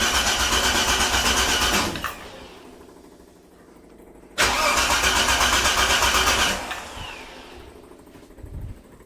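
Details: 45-year-old 2.8-litre Vauxhall Royale coupe, freshly swapped carburettor set only to baseline, choke cable not yet refitted: two spells of steady cranking at about four turns a second, each catching briefly then dying; hard starting from untuned carburettor.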